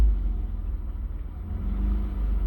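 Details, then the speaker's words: 2003 Mitsubishi Eclipse GTS idling after mass airflow sensor replacement for code P0102, where revs previously rose and fell as if stalling; now a low, even rumble with no rising or sagging revs, steady and smooth normal idle. "it definitely feels a lot better so far."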